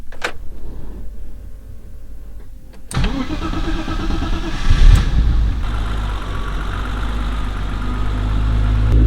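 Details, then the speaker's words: BMW E30 325i M20B25 turbo build, first start after fitting a 3-inch downpipe, not yet warm: short crank, catches cleanly, settles into steady, even idle with deep, smooth exhaust note; sounds quite nice, normal start and idle. "Doesn't sound too bad. It sounds quite nice. It's got a nice little BMW sound to it."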